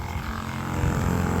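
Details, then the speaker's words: Homestead sprayer pump started with its container about a quarter to a third full of water: a steady low drone that builds slightly as it draws water, smooth with no knocks. The pump is running normally. "That'll be a good test if the pump can draw on that. We'll see. Pump on."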